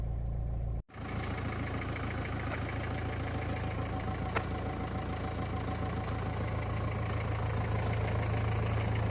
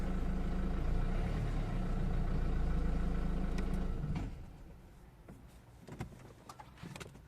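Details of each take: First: 2003 Renault Scenic II 1.5 dCi 60 kW diesel, cold start at idle: steady running with an uneven, lumpy beat and vibration felt in the pedals; something seems wrong with the air intake, possibly obstructed. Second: 2003 Renault Scenic II 1.5 dCi (60 kW), rough-running with vibration when cold: warm and after driving, steady diesel clatter, then a clean shutdown with only faint ticks and no knock, checked because something looked loose.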